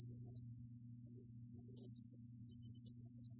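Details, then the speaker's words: Sea Wolf arcade cabinet CRT monitor, game now booting reliably. Low mains hum with faint, irregular high sizzling bursts on top: high-voltage noise suspected to come from the anode cap. "This definitely doesn't sound good. I think it's coming from the anode cup."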